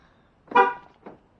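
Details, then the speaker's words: 2020 Chevy Malibu 1.5 Turbo after vacuum pump repair and battery reconnection: a single short horn toot as the car automatically locks itself; the normal lock-confirmation chirp. "there that that's that's another thing it likes to lock itself up for some reason automatically I I hate that feature"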